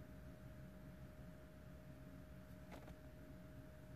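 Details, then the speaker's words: 2007 BMW 1 Series 118d, 2.0 diesel, non-runner with no DDE (engine ECU) communication; ignition on, engine off, faint steady hum from the in-tank fuel pump that keeps running when it should have stopped. "I can hear the fuel pump in the tank carry on going it should be off by now that's weird he's still going still going"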